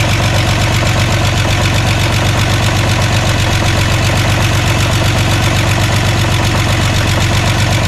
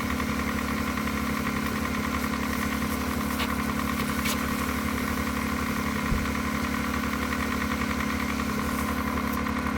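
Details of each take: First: VW Jetta just restarted after a clutch job, cold idle: light fast ticking of about two to three a second from new lifters, expected to stop once oil pumps them up. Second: Jetta after clutch install, running about 45 minutes: even, settled idle with a smooth steady beat, earlier lifter ticking gone; engine sounds healthy, normal idle.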